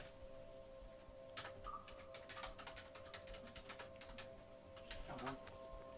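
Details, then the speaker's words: Coil whine from an ASUS ROG Strix RTX 4090 BTF graphics card in a new Z790 Maximus Hero BTF build, under heavy load at around 600 fps: a steady, thin electrical whine under mouse and keyboard clicks. "Yeah, there's definitely some coil whine there, but we are getting somewhere in the region of about 600 frames per second."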